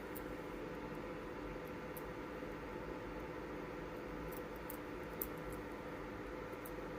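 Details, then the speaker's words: Sony PS5 power supply on the bench, unit bought as not powering on: faint irregular high chirps and squeaks over a steady hiss, seeming to come from the resonator tank area; coil chirp under load. "I don't know why it's making that sound that's really strange it's definitely sound it definitely sounds like it's coming from the big the resonator tank or this big"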